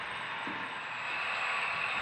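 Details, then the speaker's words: HO scale Athearn SD40-2 consist on a DCC layout, loco 2821: thin high squeal continuing as it moves; mechanical drive squeak, not from the sound decoder. "it sounds like 2821 is still in the game squeaking mode yeah that's some kind of mechanical issue it has nothing to do with the sound decoder"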